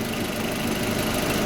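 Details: Audi A4 B6 1.8T petrol, after replacing ignition coils (one found faulty) that caused misfire and jerking under acceleration: started faster than ever, even steady idle hum with no stutter or skipped beats; normal idle.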